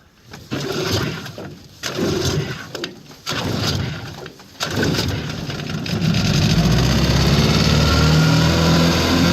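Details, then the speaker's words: 1955 Johnson QD-16 outboard: after ragged starts settles into steady even high-rev buzz with no misses; runs well at high speed despite hard starting in neutral and poor idle. "so there have it uh it's running fairly well of high speed um runs I'm quite pleased with the high speed"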